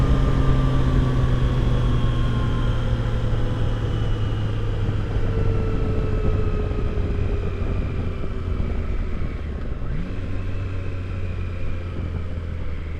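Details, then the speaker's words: 2022 Triumph Tiger Sport 660, 600 miles, at about 37–38 mph cruise: faint thin whine over wind and engine drone with footpeg vibration from overtight chain; fixed by loosening chain. "So that most likely it was the chain. And then after I checked the chain tension, then I was pretty sure that's what it was."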